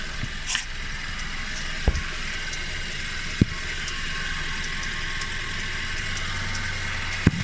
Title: What is that weird noise